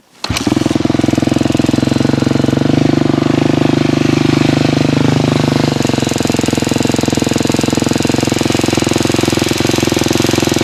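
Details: 2006 KTM 250 SX-F single revving then settling to a fast idle with a light, quick ticking on the exhaust beat; owner unsure of the source, suspects the timing chain tensioner, unconfirmed.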